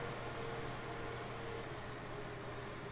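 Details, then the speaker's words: HP ProLiant server (owner guesses DL360 G7) after fan replacement, with the OS starting: steady even whoosh with a faint constant mid tone, no rattles, ticks or surging; fans running normally. "so right now it's a little excited because the os is starting but it looks like we're good to go"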